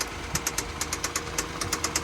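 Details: 2017 Hyundai Santa Fe engine idling with a sharp, regular knock about six times a second: a failing rod bearing.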